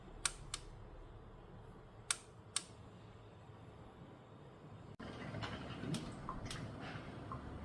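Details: KitchenAid drip coffee maker with warming plate left on after brewing: sharp, bright clicks at irregular intervals until the plate switches off after its set period; periodic heating plate clicking.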